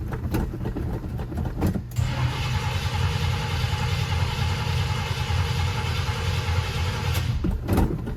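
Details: Flood-damaged 1979 Chevrolet Camaro Z28 just started after fuel pump replacement and carburetor hard line refit, exhaust now dried out: catches and settles into steady even low idle, no misses or knocks; normal idle.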